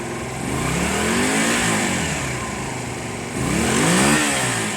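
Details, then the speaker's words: Honda CB250 cafe racer on a 112 main jet, running on choke: two clean throttle blips with pitch climbing and falling smoothly, no hesitation at all, suggesting these carbs could be the fix. "There's no hesitation at all, guys. These carbs could be the fix."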